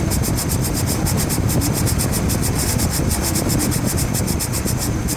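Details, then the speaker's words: 2004 Chevrolet Trailblazer LT 4.2 i6 with a new bearing fitted: a fast, steady rasping scrape about eight times a second when the AC clutch engages, silent with AC off. Owner suspects a rough edge on the clutch sticking to the pulley. "I got a little bit of a problem with the clutch. It'll work itself out. I think I have a rough edge in that."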